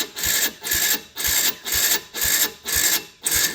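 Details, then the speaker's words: Can-Am DS90X with a new battery, carb air and idle screws reset to a middle position, no choke: slow, laboured rasping starter strokes about twice a second with no catch; weak cranking, won't fire. "So much for that new battery. That sounds terrible."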